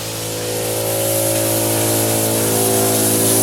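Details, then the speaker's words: In-ground sprinkler blowout with a 22-gallon air compressor: after residual water, steady rushing hiss over a low hum as air reaches the heads down the line and forces remaining water out as mist. "You hear the air, and you'll see this mist come up. Now we're hearing mist from this one, and everything going down the line."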